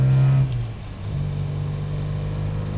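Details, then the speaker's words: Supercharged MGB with new supercharger-specific camshaft, driven from 2,000 rpm: deep, even drone dips then pulls smoothly as boost and supercharger whine build progressively, earlier than the previous 3,000–3,500 rpm; owner says timing still not quite right. "If I slowly build from there, I'm watching the gauge. And the boost is boost is coming in here. The supercharger wind up"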